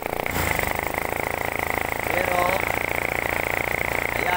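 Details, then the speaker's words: Honda Beat fuel-injected scooter, injector and TPS wiring continuity checked good; engine hard to start, then beats unevenly with stumbles at fast idle, misfiring with no check-engine light; cause not yet found. "palyado guys pero Mayon tayong magic walang chck engine walang chck engine guys ha"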